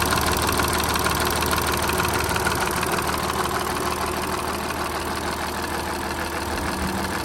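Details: Audi A7 at idle: regular light tapping about twice a second from the left side of the engine; owner suspects the timing chain, not confirmed.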